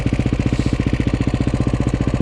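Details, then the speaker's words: KTM 530 EXC-R single-cylinder on a cold December start with choke: idle thumping about twelve times a second with loose metallic slapping, cam chain slap as the hydraulic tensioner lacks oil pressure with cold, thick oil. "get enough oil pressure into that hydraulic tensioner right there that cam chain is just a smacking that's the culprit right there"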